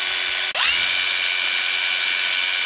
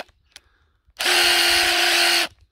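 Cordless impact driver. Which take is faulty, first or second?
second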